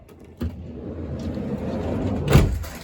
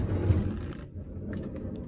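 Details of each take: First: 2005 Honda Odyssey EX-L sliding door after replacing the original center rollers: motor hum, smooth glide, clean latch thump, no creaking; normal sliding door operation. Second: 2005 Honda Odyssey center sliding door, power feature off, before roller replacement: low rolling rumble then dull clunks, door stiff and hard to open; worn rollers.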